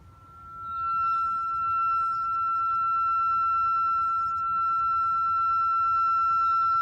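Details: 2013 Subaru Impreza rear rotor turned by hand with pads and caliper removed: pure, steady high-pitched squeal, likely from the parking brake shoes dragging inside the rotor.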